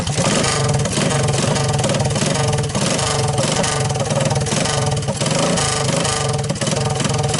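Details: 1983 Honda ATC185S ATV, about 40 years old, engine possibly not original, after a recoil starter repair, in neutral on a cold start with the carburetor needing a rebuild. Busy, even single-cylinder putter at steady fast idle with no knocks: normal running.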